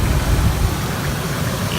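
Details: 2000 Ford Explorer, almost 300,000 miles, codes P0172/P0174 lean with cylinders 1–4 misfire: low rough stumbling idle from a leaking vacuum hose; after repairing the hose it sounds perfect.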